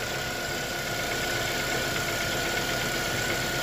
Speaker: ну вот движок вообще перестал шуметь вообще никакого шума нету двигатель работает ровно вообще ровненько